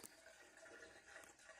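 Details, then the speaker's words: Well built around 1974 under a brick well house in front of the house: faint, continuous trickling and gurgling like water pouring in below. The owner suspects an active spring feeding the well, but this is unconfirmed. "It's got to be though a spring. There's no other explanation for why a well would be making this sound like it's a force."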